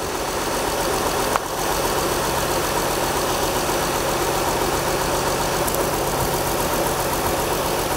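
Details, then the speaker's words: 2004 Acura TL 3.2L after engine replacement: steady idle with a faint uneven stumble, one cylinder dropping out; owner suspects a bad rear-bank coil pack, and a plug or injector are also suspected. "I think it's got a bad coil pack think I know which one it is I unplug this back coil pack"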